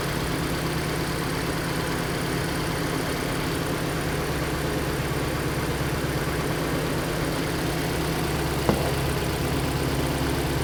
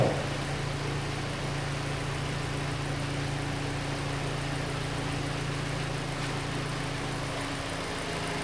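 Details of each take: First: Hyundai Elantra idling with code P0267 for the cylinder 3 injector and the oxygen sensor reading lean. Uneven, loping idle with an irregular stumble; misfire on cylinder 3, possibly from an unplugged injector connector. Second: Hyundai Elantra after reconnecting the unplugged cylinder 3 injector connector (code P0267 had shown a misfire). Steady, even idle hum with no stumbles; idle is now smooth and the codes are cleared.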